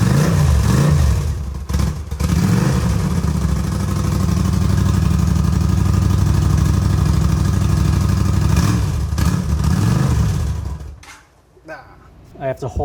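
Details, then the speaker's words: 1981 Honda Silver Wing (GL500) V-twin project bike, first start after fuel restored to carb bowl, carburetors not yet rebuilt: rough, surging revs under held throttle, dies quickly when released; won't idle on its own, cause unconfirmed. "throttle open to keep it on"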